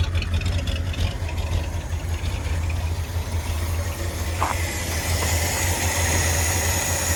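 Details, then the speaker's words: 1977 Ford F-250 Highboy carbureted V8: steady low idle with no misses or knocks, settling a bit lower after the choke return spring was removed to cure the high idle; normal idle. "So it's basically fine. Just a wee bit lower."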